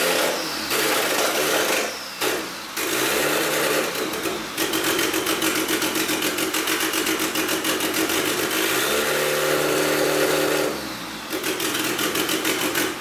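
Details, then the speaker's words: Turbo F23-swapped Honda EK hatch starting and running on its own for the first time, cam and VTEC lockout audible; engine catches, revs up and drops back with quick, even valvetrain chatter, sounding healthy; still needs a tune. "but the car is actually starting and running on its own stays argument sounds really good you can definitely hear that cam in it with the VTEC lockout and stuff it sounds really good"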